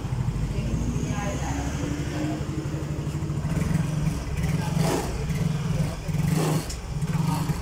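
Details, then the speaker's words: Yamaha Mio J scooter revved after a new spark plug cap: revs climb in short stumbling bursts and drop out instead of pulling smoothly. It still won't pull, and the exhaust sounds clogged; the hesitation persists. "ini baru kelihatan kalau penyakitnya memang Brebes Sore sudah saya ganti cokusi ini saya gas gini Hani dia nggak kuat ya Masbro ini suara knalpot mampet mampet"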